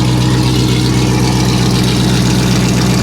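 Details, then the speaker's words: Low-mileage C5 Corvette Z06 with a 400 hp V8, salvage car started briefly with the mufflers removed: very loud, deep, lumpy idle with a hard, raw, unmuffled exhaust bark. "okay that's that's enough of that we're not gonna run this one long wow that's that's crazy that is that is absolutely crazy so yeah they got away with the Mufflers"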